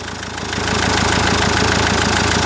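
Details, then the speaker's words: Common-rail diesel at idle with a loose plastic clamp on the high-pressure fuel pipe: fast, even metallic ticking like a knocking injector, gone when the pipe is lifted or pressed by finger; high-pressure fuel pipe pulsation knock from loose clamp. "И вот этот звук реально заздаёт, как будто форсунка стучит."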